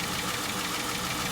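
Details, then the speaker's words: 2011 Dodge Charger 3.6 at idle: quick light lifter-like ticking; oil housing leak left the engine with no oil, lifters not stuck; valve train ticking from low oil. "And when you check the oil, it has no oil, and that's why the engine knocking. So the lifter's not stuck."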